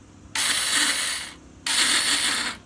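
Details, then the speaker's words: Honda Karisma (same as Supra X 125) motorcycle starter: two one-second bursts of high free-spinning whir, no engine turnover; starter motor spins but won't engage, fault in the one-way starter clutch on the left side. "Oke. Dinamonya jalan tapi dia enggak mau nyangkut. Itu masalahnya di di ee blok sebelah kiri itu di oneway starter."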